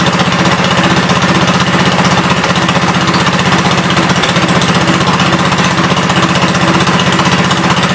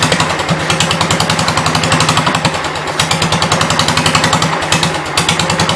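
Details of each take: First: 1972 Gravely 430 single-cylinder engine running normally after fuel system restored up to the carburetor (small drip at fuel pump inlet): even, steady thumping about three beats a second, no knocks or rattles; high-low axle works, moves forwards and backwards. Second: 1972 Gravely 430 single-cylinder engine, one valve (owner assumes exhaust) previously stuck, fuel-starved and running only on sprayed carb cleaner: rapid sharp firing pops at a fairly steady beat; owner wonders if it flooded, fears backfire.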